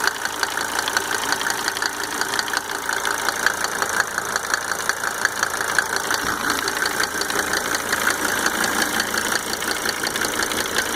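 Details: Mercedes 300D W124 2.5-liter diesel idling just after fitting 5 newly rebuilt injectors with Monarch nozzles; light, fairly even tick about three per second over the idle, source undetermined: engine tick at idle.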